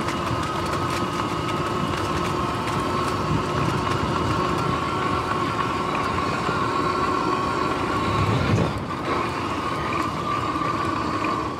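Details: Sur-Ron X electric bike riding: steady motor whine under rapid rhythmic drivetrain clicking; chain had locked-up stiff spots and 14T front sprocket teeth worn like shark fins, time to replace chain and sprockets.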